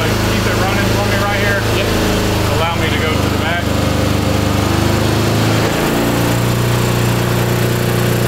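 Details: 1982 Honda CB750 engine in a cross kart, cold, was low on fuel: note wavers and sags, nearly stalling before being caught on throttle; rough running, won't idle, running better but not right.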